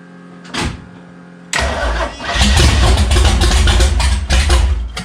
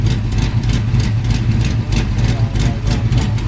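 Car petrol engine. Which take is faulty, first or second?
second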